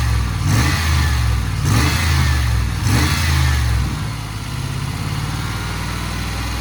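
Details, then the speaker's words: Range Rover P38 V8 after a bearing repair, coolant being refilled and burped: engine blips up and settles back to a smooth idle with no chirp or rumble from the belt-driven pulleys; normal idle and revving. "i need to rev the engine up see i'm gonna have to burp it now so to get some engine revs to suck that through the motor"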